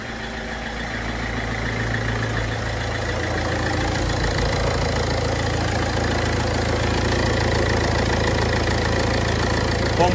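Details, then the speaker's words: Ford Fiesta 1.4 TDCi diesel after heavy maintenance: steady, even idle clatter at about four beats a second with a smooth low hum; the earlier slight delayed start is fixed, idle normal. "Sanki araçta bir iki saniyelik geç çalışma vardı. O da düzeldi. Gayet güzel oldu."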